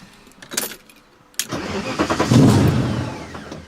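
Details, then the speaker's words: V8-swapped BMW E30 after a rally, dies when clutch pushed in or throttle released, running rich with heavy smoke: a few dry clicks, then the V8 catches with a rough surge and fades away; stalling traced to loose positive battery cable. "that's so odd to me so i'm dies so that's pretty strange it looks like it's running super rich it's blowing out a ton of smoke"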